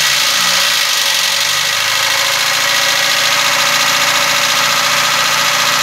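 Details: Car engine, possibly a 2004 with a 1.4 engine (unclear speech), at a steady idle with a light, uneven top-end tick of about three or four per second; the cause is unknown.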